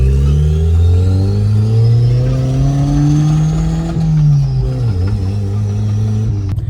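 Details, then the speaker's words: D16 turbo Honda Civic losing power at high rpm: rising drone flattens and drops back instead of climbing to redline; compression test found cylinder 3 at 140 vs about 175, owner suspects this, cause unconfirmed. "it's like if I'm waiting for the car to unleash like the second half of the power you get me like it's just it's backed up it's stuck"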